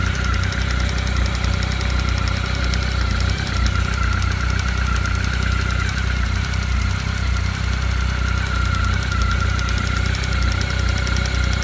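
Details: Honda CB1300, cold idle after antifreeze change: fast light knock, about three per second, from below near the water pump; owner found factory play between pump and oil pump shafts, suspects an air lock; engine knock, unconfirmed.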